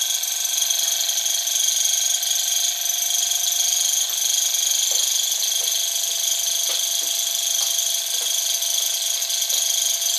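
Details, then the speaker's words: Small model Stirling engine on an alcohol burner with a kitchen-towel wick gives a fast, even high-pitched whir with faint light ticks, running smoothly at speed after picking up; the drive belt squeaked earlier. "So there we go. That's running like a good one, isn't it? I'm quite impressed with it, actually."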